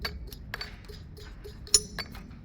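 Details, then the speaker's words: Engine removed from the car for water pump and cam cover gasket work: pulley spun by hand gives uneven dry clicks and a faint gritty rasp from a worn, noisy bearing; pulley set to be replaced. "these pulleys are nice noisy hear that this one's noisy"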